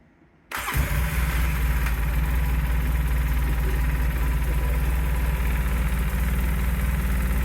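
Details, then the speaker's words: Polaris Sportsman 600 twin ATV, first start after repair from non-running, with the battery terminal fixed: it fires instantly and settles into a steady, even idle with no wobble or clatter. No bent shaft, running healthy. "We're gonna start her up and see how this goes. Make sure there's nothing wobbles, there's no bent shaft or anything like that."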